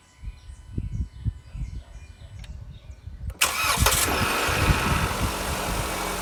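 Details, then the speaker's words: Jeep Renegade with check engine message, started in the morning while measuring battery voltage (must not drop below 10 V during cranking); brief crank, quick catch, steady even idle with no misses or knocks; starts cleanly. "então gente agora eu vou fazer eu vou dar partida no carro lá e vamos ver se a bateria quanto ela tem quanto ela tem de carga que é o CCA dela né"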